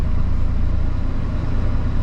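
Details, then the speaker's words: 2002 Ford F150 SuperCrew petrol pickup, 298,000 miles, rear-ended, first start at home on a fresh battery in snowy December: steady even low rumble settling into smooth idle, no knocks or misses; oil pressure and charging fine; idles normally. "Creates a tank of gas. Okay, it idles. It's good. That's a lot of miles."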